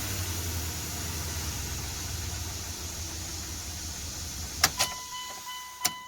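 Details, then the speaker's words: Dodge Dakota 4.7 V8 after timing chain replacement, first start: catches and settles into a steady, even low rumble with no knock or chain rattle; previous noise gone, normal idle. "we fire right up and what do you know no more noise it sounds good"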